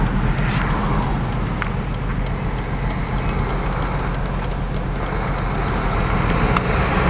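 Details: BMW E46 M3: uneven, stumbling idle with an irregular lumpy beat; misfires on all 6 cylinders caused by the pre-cat O2 sensors being swapped into the wrong banks.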